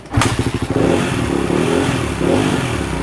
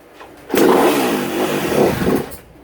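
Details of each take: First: 2016 Kawasaki KX250F that would not run, after fuel pump disconnect-reconnect test and repairing bad connections, stator suspected: crisp steady single-cylinder beat with throttle blips and clean settle to idle; engine runs healthy. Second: 2016 Kawasaki KX250F that wouldn't run: catches and sputters under two seconds then dies, as if line fuel pressure is used up; owner suspects the All Balls fuel pump isn't being powered/rejected; not confirmed.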